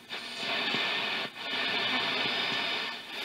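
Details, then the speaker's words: Zenith Trans-Oceanic R600 tube radio during recapping and FILT-R-PAK power supply install, played with no antenna connected: thin hissy broadcast fading under heavy static; weak reception without antenna. "no antenna on it. I'm gonna try hooking an antenna onto it, see if that works better."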